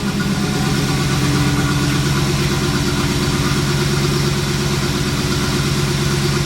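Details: 1989 Trans Am V8 at idle on first start after 5-6 years unused, all 8 spark plugs just replaced: uneven lope with a recurring dropped beat, a misfire from a spark plug wire left disconnected.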